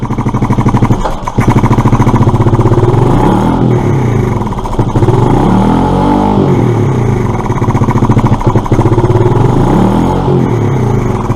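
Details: Suzuki Address scooter, running without air filter, throttle body not yet cleaned: engine revs up and down unevenly, lumpy, never settles; rough running, likely from missing air filter.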